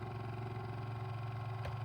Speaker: And if I keep pressing further, I hear the motor disengage, or at least it stops squeaking, and then eventually when I get towards the bottom, it'll shut, like it kind of cut off, and then it'll start vibrating again